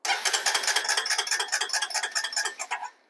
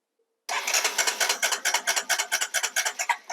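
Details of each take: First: 2005 Honda TRX250EX ATV, battery 12.6 V resting and about 12.19 V with ignition on, cranking on the starter: steady cranking about two beats a second with no firing; crank no start, no spark from a failed ignition control module. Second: 2005 Honda TRX250EX ATV with a replacement ignition control module from another bike: sharp even pulses about two a second as it fires up and keeps running; normal start and run, original ignition control module confirmed faulty.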